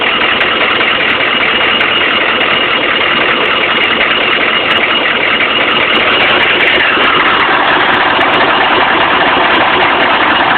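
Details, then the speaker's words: 1995 GM 6.5 diesel idling with random injection timing loss: steady idle but the usual clatter has gone soft and muted; scanner shows injection timing jumping to 25.5; owner suspects a faulty crank sensor or optical sensor. "see now the engine's really quiet again here show you how quiet it got"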